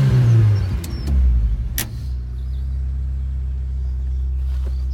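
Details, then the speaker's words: 1990 Lotus Elan, five-speed manual, about 80–85k miles: it catches with a couple of quick revs, then settles into a steady, even low idle with a deep exhaust note. Normal idle. "There you go, just start it up so you can see. Sounds lovely. Nice exhaust note."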